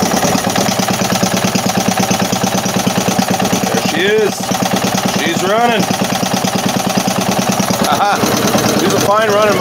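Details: 3hp Briggs and Stratton single-cylinder engine after fresh oil change: quick even putter holding steady speed, cat meowing occasionally; normal idle.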